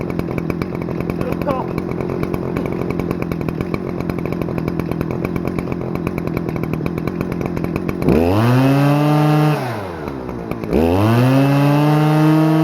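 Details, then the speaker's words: Stihl FS-250R 40cc two-stroke trimmer after a carb rebuild replaced the diaphragm hardened by old fuel, on 50:1 ethanol-free mix after high and low screw adjustment: buzzy drone, sharp repeated revs to a high even scream and back; revs freely, runs great. "Nice. Alright, well, it runs great. Boy, that thing revs pretty dang high."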